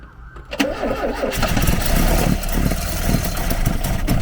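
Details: Garden-find Ford Capri: starter churns, engine catches with ragged uneven firing, never settles to clean idle; fuel-starved, cause suspected.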